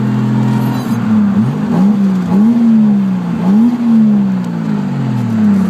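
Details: Datsun Z with RB30DET turbo six: revs rise and fall smoothly with a steady, even tone, no misses or rattles; normal revving.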